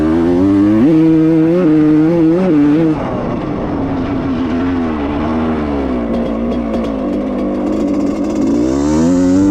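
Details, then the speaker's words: Rebuilt 1995 Suzuki RM125 two-stroke, already jetted with the float adjusted, bogs under throttle: revs climb, then the pitch sags low and muffled before slowly recovering. Owner suspects it runs rich, possibly a carb seal. "See? There's that bob. There's that bob right there. You can hear it right there. This thing rich."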